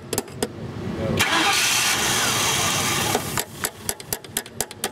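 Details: 1999 Ford Crown Victoria 4.6 V8 that stalled without throttle: after smacking the stuck-closed idle air control valve, a short crank, clean catch and rev-up, then a steady idle with light regular ticking; starts and holds idle.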